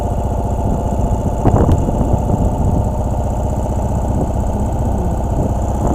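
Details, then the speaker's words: 2017 Ural cT sidecar motorcycle on the interstate: a rough, uneven hammering beat under wind and road roar with the check engine light on. It suddenly lost much power, limping at about 30 mph. "and going at this point but it had definitely lost a lot of power"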